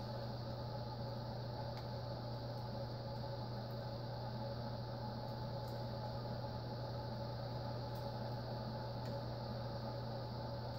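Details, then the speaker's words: Envirofan Orange Line 36" cast industrial ceiling fan, model 136F-7, on a test rig with solid-state speed control; it was stiff, starting only at setting 9. A steady hum with a dry, rough whirr and faint ticks: worn bearings, still audible after oiling and WD-40, likely needing replacement. "You can hear the bearing noise. They've quieted some since I've started oiling it and such"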